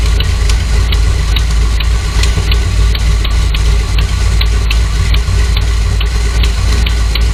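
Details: Dodge Dakota R/T with 408 V8 and shaker hood at idle: light fast tick about three per second over a deep steady idle; new noise, owner suspects valve lifter tick.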